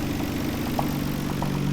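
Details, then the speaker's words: R32 GTR engine warmed up and idling: steady low drone with a faint intermittent knock over it, diagnosed as rod knock, not extremely bad. "now that the car is uh warmed up man that is what you call a rod knock so um it's not extremely bad but it is a rod knock"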